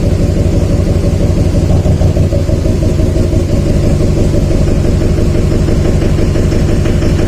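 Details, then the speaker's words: 2007 Chevy Silverado 2500HD 6.6 Duramax LMM diesel at idle, injectors killed one at a time via Tech 2: heavy, deep uneven knock that barely changes per cylinder, not typical of an injector; number 7 weakest; valve train problem suspected. "Knock's pretty good when number 5 is disabled. That's number 7. Disable number 7 again. Hardly any change."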